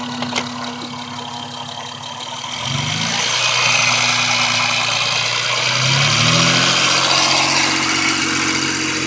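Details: 2001 Honda Accord V6 with light regular ticking over a hissy top end and revs, started two weeks earlier, with motor mount, radiator, O2 sensor and oil change work done; driven about 500 miles so, cause unknown, owner wonders about valve adjustment.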